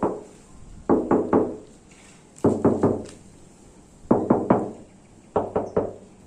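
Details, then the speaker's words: Used-car body inspection, knuckle tapping a panel: crisp taps in groups of three or four that ring bright and solid, showing original bare steel with no body filler. "ini tanda bodi mobil masih kaleng."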